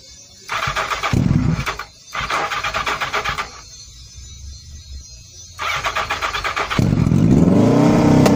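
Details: Motorcycle at start of 2018 season after battery reconnected: engine cranks in short bursts, catches, then revs up with rising, even exhaust note; starts and runs cleanly.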